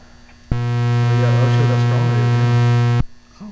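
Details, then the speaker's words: Found-in-barn frequency counter's power supply: loud steady low mains-frequency buzz that starts abruptly, holds flat, then cuts off; humming like a fluorescent light, likely just its AC transformer; unit otherwise works. "It's humming like it's going to explode and catch fire."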